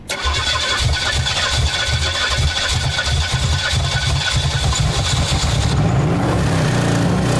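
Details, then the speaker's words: Blown-engine Pontiac, oil on the floor, on nitrous: uneven lumpy idle, stumbling beat, loud ragged exhaust; nitrous seemingly firing outside the engine; head gasket later blew. "it's not getting into the engine it's just like firing outside of the engine i'm gonna try to ease into it this time just need some love"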